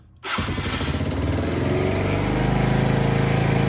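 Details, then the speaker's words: Polaris Outlaw 50 kids' ATV, after a thumb-to-twist throttle conversion: catches after a brief crank, settles into a steady buzzy run, then revs up cleanly and evenly. Normal start and revving. "okay started fine see the Ws up"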